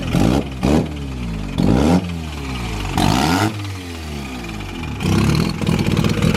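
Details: Mazda FD RX-7 with freshly bridgeported rotary, first start-up after flooding, fuel pump temporarily jumpered: catches and blips freely, revs rising and falling cleanly with a raspy buzz; healthy start.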